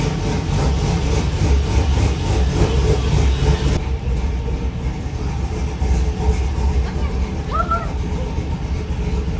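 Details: 1950 cabover, LS-swapped V8, first start after VATS anti-theft delete: loud idle with loping uneven chop about two or three beats a second, healthy engine with lumpy cam; oil gauge maxed at 130.8 PSI, sensor suspected bad.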